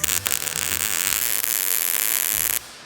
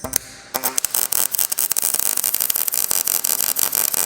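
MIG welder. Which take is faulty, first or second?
first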